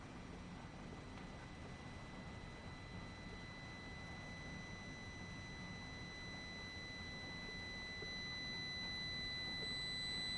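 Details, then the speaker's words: Amplifier emits thin, steady high-pitched whine over hiss when driven hard; not unusual, seen on several Class D 4-channel amps for mids and highs, typically with a 1000 Hz test tone. "amp emitted a high-pitched whine."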